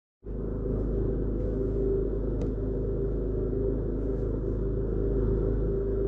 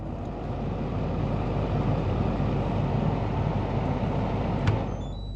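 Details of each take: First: Kenwood KFF2DS14 fridge freezer, freezer compartment fan motor (KB-48ZWT05-1204): steady low buzz with a rough grinding rattle and excessive vibration; worn fan motor bearing. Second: Kenwood KFF2DS14 fridge freezer after repair of a buzzing, vibrating freezer fan, refitted with the original factory fan motor: a steady even whoosh of air with no rattle or buzz.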